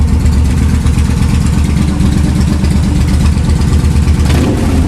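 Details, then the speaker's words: Motorcycle back from the mechanic, who found the cause of its earlier problems (mechanic and owner first suspected a wire), idling parked with lights on: deep, steady low thrum, even beat, no misses or rattles; normal idle. "So, there she is. All pretty, with the lights on and everything. And she's working."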